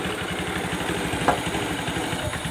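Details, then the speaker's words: Honda Beat Street ESP scooter that clicked at the starter button, after checking the starter relay and sockets: starts immediately, quick even idle putter with one brief click; runs smoothly. Ignition key switch noted as somewhat faulty. "langsung hidup Guys oke ya motornya langsung sudah hidup"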